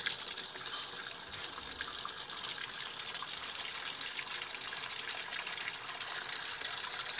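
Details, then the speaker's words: Sanyo washing machine with no clock display: steady hiss of water pouring in with no pause or cutoff, tub nearly full yet it neither washes nor stops filling. "पानी की टंकी लगभग भर चुकी है लेकिन machine अभी भी पानी नहीं धो रही है या बंद नहीं कर रही है"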